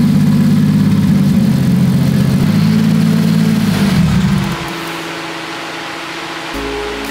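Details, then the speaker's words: Toyota 2JZ drift build, untuned, running on an open downpipe with no exhaust, oil still in the cylinders giving white smoke. Loud, lumpy idle with an uneven, slightly hunting beat, then it drops away; rough idle. "it sounds good the car is not tuned so the idle is a bit [Music] rough"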